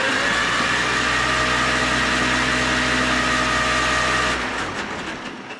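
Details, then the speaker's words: Farmall 400 tractor that didn't run, first startup after being put back together, no antifreeze yet: steady, even run with a smooth, unbroken note, no knocks or misses until it winds down; started right up, sounds healthy. "oil it runs it started right up dy I was it did I am impressed I am that's it take it apart"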